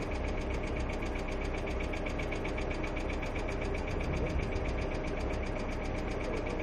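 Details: Hyundai Accent II at steady idle with fast, even clatter of about four ticks per second on top of the engine, from noisy hydraulic lifters.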